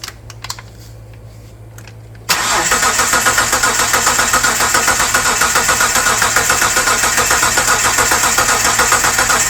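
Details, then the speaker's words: 1998 Mitsubishi 3000GT SOHC 3.0L V6, sitting 12 years, new distributor, coil and PTU, gasoline added: steady cranking about four beats a second with uneven partial firing; cranks, sputters, won't start. "There should be some gas down in it. You hear that? >> I did. >> She's starting to catch"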